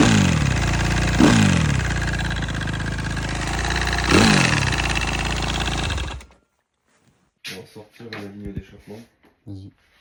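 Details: Suzuki RM-Z250 motocross single-cylinder idling with a couple of sharp revs before shutdown; an odd, unexplained noise inside the engine, cause not yet known.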